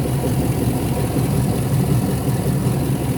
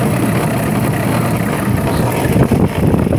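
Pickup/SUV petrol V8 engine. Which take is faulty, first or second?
second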